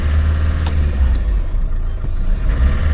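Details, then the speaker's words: 1.6 diesel auction car, clutch held in: low, uneven, lumpy idle with no smooth rhythm, running very roughly; cause not identified. "running like an absolute nail. So it's made my mind up there."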